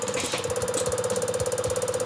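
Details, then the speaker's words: Solenoid fuel injector on a test bench, with pressure raised until it opens at about 100–110 as expected: fast, even ticking at about ten pulses a second over a steady hiss. The injector opens and fires correctly. "as you can see 100 110 this injector will open I'm pretty sure that this car will this injector is is good at"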